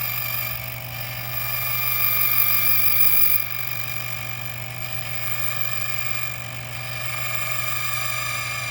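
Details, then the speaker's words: Speed040 automatic key machine cutting a key after the auto start button was held about 5 seconds: a steady motor drone with a high whirring cutter that swells and eases as the carriage travels, with no chatter or grinding. Normal cycle. "And after the cycle is completed, you will hear the gear motor shut off and the carriage will stop moving, and you simply press down the handle and always turn off the machine main switch before removing your key."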